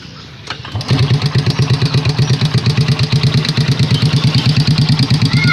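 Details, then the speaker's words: Honda Supra Pit X motorcycle with a complaint of tik-tik noise, kick-started to idle: a light, quick tick rides on every beat. Loose piston or valve clearance were both considered. "Bisa kita sama-sama dengarkan suara seperti ini untuk suara seperti ini bisa kita ambil kesimpulan ada dua hal di bagian sini ini kalau seperti ini yang tek se seperti ini bisa dia piston itu longgar ngetek bisa juga suara dari kleb"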